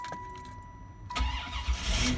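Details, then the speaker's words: Buick Roadmaster that wouldn't crank with the Pass Key light on starts after the Pass Key fuse is pulled and reseated: short crank, engine fires into a steady healthy idle. Owner suspects worn key contacts not reading the code. "There you go. Car starts again. Simple fix, kind of annoying."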